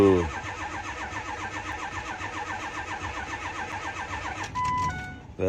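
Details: 7.3 Powerstroke diesel truck on first cold Minnesota morning, block heater possibly not working: cranks steadily over four seconds but never catches; cranks no start, cause not confirmed.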